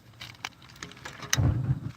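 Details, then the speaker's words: Olympic updraft kiln pilot lighting, gas on, pilot button pressed: sharp click then short soft low whoosh as gas flows and pilot catches; normal pilot burner lighting. "So I'm not turning on any valves. I'm only pressing this down with the gas on to it this far. You can hear it light, okay? You can hear the gas go when I push this down."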